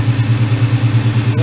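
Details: Ford Mustang GT (99-04) idling after swapping the stock 105 amp alternator for a new SR Performance 130 amp unit; steady, even idle pulse, smooth low rumble, no knocks or misses, no battery light; normal idle.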